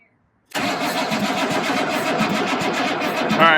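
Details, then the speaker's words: 1983 Chevy K20 square body, 6.2 diesel, long parked: steady even starter cranking with regular beat that never catches; no glow plug light seen, fuel delivery through clear hose being checked; cranks but won't start. "is there a light coming on for the glow plugs I don't see anything"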